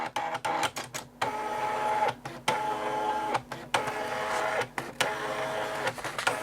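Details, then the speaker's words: Amstrad DMP3000 dot-matrix printer in button-combination self-test: carriage sweeps and paper-feed whirrs in bursts, but no pin chatter is heard. A print head problem is suspected. "so I can hear paper being fed that way I can hear the pr going that way I can't hear any pins firing in the print head it's too quiet so I think there's probably a problem with the print head"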